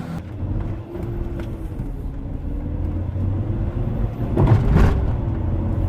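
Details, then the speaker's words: 1994 BMW 525it E34 wagon idling after a Bosch fuel pump replacement, quiet smooth even idle with a low steady hum and no misses, ticks or whine; car much happier, normal idle. "Car is much happier."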